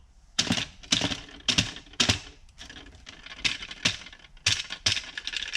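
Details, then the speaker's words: Porsche 996 fuel level sender removed from the tank and shaken by hand: sharp bright clicking rattles in bursts about every half second from the loose internal ball; normal for this sender. "the whole culprit is this so every time we go over a bump"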